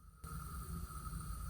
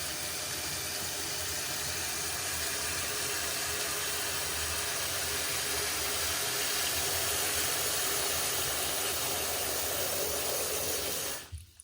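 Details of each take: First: Toilet tank with the lid off: the fill valve won't stop running after flushing, giving a faint steady hiss with a thin high whistle. The tank keeps filling and the water runs down the overflow, raising the water bill. Heard before the fill valve is replaced. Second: Toilet tank refilling after replacement with a new Fluidmaster universal fill valve, fill speed turned up: strong, steady rush of water, much quicker than the old slow valve, then a clean shutoff with no hissing, so the leak is fixed.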